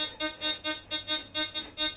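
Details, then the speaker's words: Gold Finder GF2 metal detector with 11-inch DD coil in a depth test on a thin gold ring: bright repeating beeps about four to five per second as the coil sweeps, solid at 14 inches and barely audible at 15; a target tone. "Good. 14. 14 inches, still got it. Look at that. Such a small piece of gold, and 14 inches so far. 15 inches. Okay. You can hear it barely."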